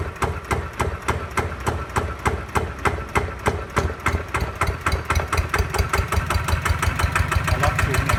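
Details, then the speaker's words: New Kawama 9.5 hp single-cylinder diesel walk-behind tractor engine, freshly started: sharp, even knocking at about three beats a second, settling steadily; starts very easily, revved high then low; normal idle. "ติดง่ายครับติดง่ายมากตกใจหนดครับ"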